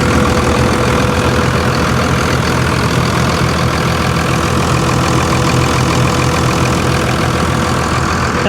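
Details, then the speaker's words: 57,000-mile Dodge Ram 3500 diesel pickup at a salvage yard, driveshaft missing, heard from the rear near the exhaust, charging nicely: a steady, even diesel idle with the usual light clatter, no misses or knocks; normal idle. "Man, guys, this thing is perfect. Charging nicely. Listen to her."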